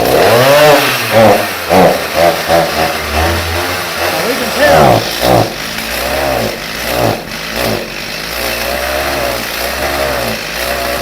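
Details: Stihl MS 290 chainsaw with an EPA carburetor, previously bogging after being filled with TruFuel premix suspected of condensation, now fixed and restarted. A crisp two-stroke buzz rises and falls cleanly through throttle blips with no bogging; the saw runs healthy.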